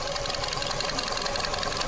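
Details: 2025 Nissan Versa HR16 petrol engine idling with fast, busy ticking and a slightly uneven pulse after one fuel injector was deliberately disconnected, creating a misfire while oxygen sensors and fuel trim were watched.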